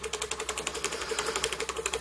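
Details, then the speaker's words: Miniature model engine running at proper speed after its first repair made on a new lathe, burner set right: a quick, even ticking of about eleven beats a second with no stumbles. Normal smooth running. "nice now I'm impressed with this beautiful smooth sound I'm impressed listen to that nice real nice"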